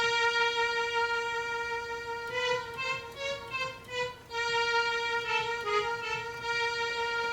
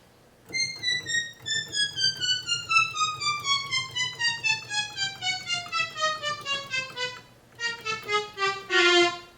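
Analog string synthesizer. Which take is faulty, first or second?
first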